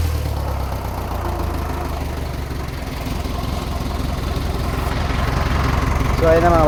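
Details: Isuzu ELF manual diesel truck that had been misfiring and bucking in 3rd/4th, after a fuel filter replacement and blowing out the fuel hose: steady, low, even idle clatter at about four beats a second with no miss.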